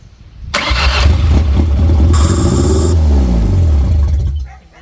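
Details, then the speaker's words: Flood-damaged junkyard Ford 2.3L four-cylinder (said 80,000 miles) in a Ford Ranger, first test start: catches quickly, runs smoothly and evenly briefly before shutting off; sounds good, though vacuum leaks raise idle and oil pressure unknown. "Sounded good though. Yeah. Engine. Yep. Sounded real good."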